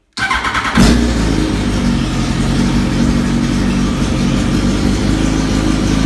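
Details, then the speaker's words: 2005 Yamaha R1 with a full Bos Brothers exhaust (essentially an open header), lithium battery, unridden three to four years; fuel pump primes, then it fires within a second into a very loud, steady, even run with no knocks or misses. Normal start. "so fire it up so you can hear it run it is very loud it has a full bos brothers exhaust"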